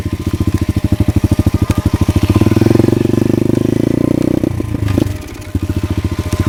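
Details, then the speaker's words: Pit bike single-cylinder, choke off, running fine half an hour earlier: pops unevenly, surging, sagging and nearly dying before catching again; owner suspects dirt in the carburetor, but the tank turned out to be out of gas. "now it's running like [Applause] it's like carburetor that's weird everything looks legit I don't know why he's doing"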